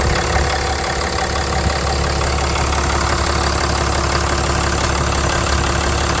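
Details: Ram 3500 diesel idling after heater core supply hose replacement, coolant no longer leaking. Even clatter with normal injector tick and no misses, squeals or knocks; the engine sounds healthy.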